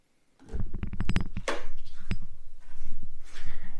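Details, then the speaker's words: Kingtech 160 G4 RC jet turbine during a fuel pump test with the valve open: a few clicks, then a soft, even pulsing of about eight to ten beats a second. The pump runs normally at slow speed. "when we push the on button the pump's going to start at a slow speed and ideally we want the pump to suck in fuel and push it through the system"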